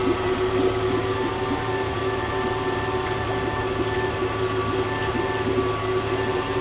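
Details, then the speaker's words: Honda 30 outboard running without its lower unit (removed to trace a knock): even, fast, high-pitched run with the knock gone; revs high because low fuel makes the mixture lean. "There is no gasoline, so the revs are high. [When the fuel level is low, the rpm rises due to a lean mixture]"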